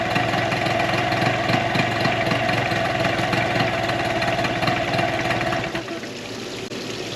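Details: 2004 Tohatsu 9.8 two-stroke long-shaft outboard, test run after general maintenance: busy, slightly lumpy but steady putter until shut off. Suspected single-cylinder miss ruled out by pulling plug boots; both cylinders firing, normal idle.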